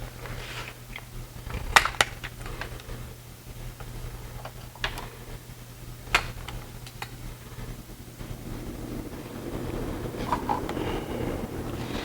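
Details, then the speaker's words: Home furnace restarting after an air filter change: steady low hum with scattered clicks, then blower noise swells after about eight seconds. Normal furnace startup. "okay now as you can hear it's turning back on so now as you can hear the uh the heating syst system is turning back on it's going to build back up and then it'll turn back on so it's going to get noisy"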